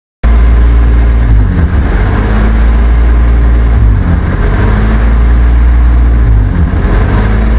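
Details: BMW E34 520i idling very high and hunting up and down. Plugs, fluids, filters and ECU were replaced. The owner suspected a vacuum leak and hissing under the inlet manifold, then found the intake air temperature sensor reading -36°C, likely the cause.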